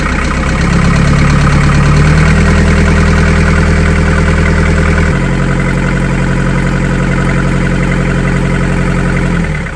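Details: Boat diesel first run after in-situ repair of failed core plugs, dead about two months: settles into steady even chug about four beats a second, no knocks or misses; clean idle.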